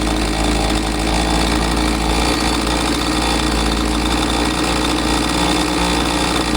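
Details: Husqvarna 543XP two-stroke chainsaw that bogged after the owner misadjusted the carb with online adjustment tools, now running after the shop's carb adjustment: a steady, even high-pitched buzz holding constant speed without surging or dropping out, healthy.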